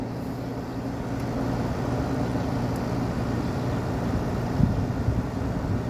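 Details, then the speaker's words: Window air conditioner installed after the central AC capacitor failed, running on high cool and high fan, room at about 76°F. Soft, steady fan rush with a faint low hum; the compressor is barely audible. Quiet, normal running. "Can't even hear the compressor. These units are just too These are just so quiet."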